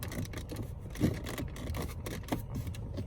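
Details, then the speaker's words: VW Jetta GLI Mk7, owned about a year: short scratchy creaks and small rattles in uneven bursts as interior panels are touched; in sport mode the fake exhaust vibration also brings a rattle in the right door. Interior trim creak and rattle. "And last thing I hate about this car is everything you touch seems to have a little like creak and rattling."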